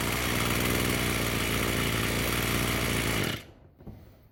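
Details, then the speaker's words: Roadside-found Echo SRM-210 two-stroke string trimmer after replacing the purge bulb and straightening the bent idle screw to raise idle: buzzy idle holds steady about three seconds, then shut off; no surging or dying, runs fine. "I would say that's running pretty good."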